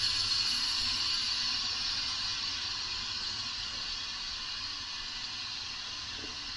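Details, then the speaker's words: 2006 Subaru Impreza WRX STI EJ25 with lack of power, engine torn down, leak-down test at 100 psi on cylinder two; steady hiss of air, about 17–20% loss, escaping past the piston rings into the crankcase. "so this is cylinder number two so 20% loss maybe 17 again coming through the piston rings"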